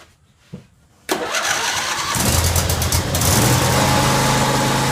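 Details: John Deere 190c (100 series) mower after PTO clutch replacement, with new battery, clutch in: brief crank then catches at once into steady even run with no misfire; starts and idles cleanly.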